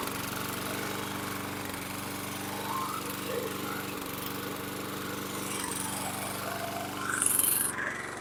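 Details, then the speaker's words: Toro Recycler mower with Kohler 6.75 single-cylinder engine on a replacement carburetor. Extremely smoky and burning oil, it runs at a steady speed but cuts out for milliseconds every couple of seconds, better than with the original carb. Cause unconfirmed. "okay extremely Smoky it it was uh cutting out intermittently but a lot better than it was with the um original carb it would cut out for a second or two and then catch itself"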